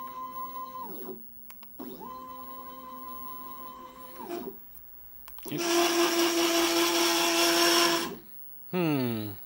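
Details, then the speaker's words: Workbee 1050 CNC: steady stepper whine on jogs, then a loud, harsh grinding roar only when jogging Y one direction through one stretch of travel. A dry Y lead screw lacking lubrication; a bead of 3-in-1 oil stopped the noise. "this is the problem I'm having with my work be 10:50 which is that when you when I scroll the y-axis this direction it makes horrible noise"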